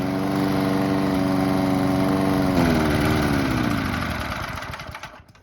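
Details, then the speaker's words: Mountfield Empress 16 petrol lawn mower deliberately run until out of fuel for winter storage (footage sped up): even drone falters, pitch sags and beats unevenly, then coughs and dies; fuel starvation sputter. "Little mount field, still going. It's not got long left. Obviously I speed up a bit as well, so you're not waiting forever. When it starts slutting and coughing, I'll bring you back."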